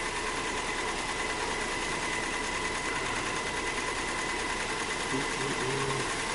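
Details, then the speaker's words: 2002 Nissan Maxima with misfire codes at idle after starting: uneven, lumpy, diesel-like idle with irregular stumbles about three a second; smooths out around 1,000 rpm. "let's start it up now it probably won't set him that fast but we'll just check that the throttle control works engine sounds like a diesel all right let's look at some data see if we have a misfire"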